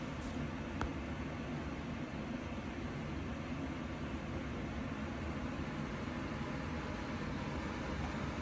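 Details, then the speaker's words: Blower motor after replacement with a new one: only a soft, even airy hiss, no rattle or whine; it runs quietly and normally where the old one was very loud. "ឥឡូវបន្ទាប់ពីដូរថ្មីគឺថាមឿហ្នឹងវាដើរអត់ឮសំឡេងទេដើរធម្មតា"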